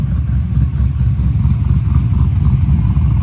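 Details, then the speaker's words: Drift car revving: deep, strong rumble with crisp pulses, steady and free of knocks or rattles; engine sounds healthy and powerful. "it sounds like it's making the kind of power that mine is making which is more than this one"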